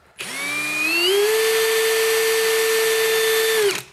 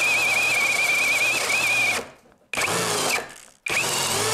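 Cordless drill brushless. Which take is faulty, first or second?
second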